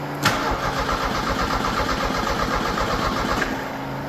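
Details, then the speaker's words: 1986 Merkur XR4Ti 2.3 L turbo Ford donor engine, cranking with no fuel to build oil pressure, out of gear: steady even starter churn, no firing; normal cranking. "we're going to do a couple of cranks with no fuel just to get some more oil up there"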